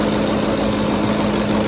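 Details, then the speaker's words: 2010 Ford F-150 5.4L 3-valve V8 idling after VCT solenoid replacement; steady low burble, no miss or shake, normal tick only, no leaks; smooth healthy idle. "Sounds pretty good. I mean, aside from that ticking, but they all do that. Every car. No leaks so far."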